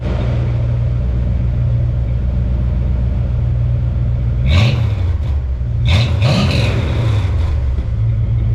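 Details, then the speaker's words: 1987 Dodge D100 V8 with new Speedy 10 exhaust, after cooling system repair: deep steady idle rumble with two clean throttle blips, no puffing, rattles or ticks; sounds good. "that sounds good."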